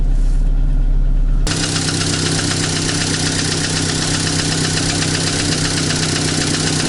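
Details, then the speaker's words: Chevrolet Cruze, 239,000 km, warm idle: quick, fairly even knock about four per second over the engine note as the piston rocks at direction change; a piece of piston skirt (cylinder 2) has broken off, bore hone fine, no scoring – piston slap. "слышно как поршень стучит во время перекладки откололась часть юбки поршня"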